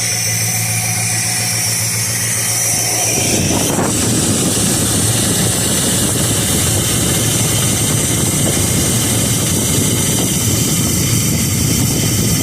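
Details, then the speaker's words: 1969 Dodge Dart, fuel pump reconnected, choke unhooked on a warm day: catches after a few seconds and settles into a steady, even rumble with no skips; healthy idle after repair. "So that's a good thing. Nice healthy exhaust note there."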